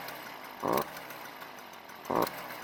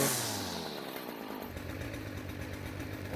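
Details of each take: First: Stihl string trimmer that won't reach full speed, started with the fuel already in the tank: a thin two-stroke drone that surges briefly twice but never climbs to full revs; a carbon-clogged spark arrestor screen is choking the exhaust. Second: Stihl string trimmer that would not reach full speed, now after the fix: a high, buzzy two-stroke wail climbing cleanly to full revs in repeated pulls, much louder than before as exhaust leaves with less restriction; normal full-speed run.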